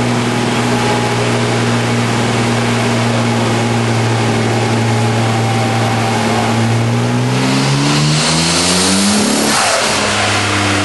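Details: 1993 Nissan 240SX convertible with RB26DETT, stock twin turbos at 15 psi, otherwise relatively stock, on a dyno: repeated load pulls sound rough and uneven from a bad misfire, peaking at only 247 hp and 221 torque.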